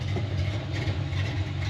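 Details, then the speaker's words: 1988 Ford Mustang LX 306 stroker after its coolant temp sensor was replaced, cold at about 130° on the gauge with air temperature in the 40s: a deep, even, steady idle with no stumbles. Before the fix it needed constant throttle when cold. "about 130° so it's still ice cold and it's sitting here just idling Perfectly"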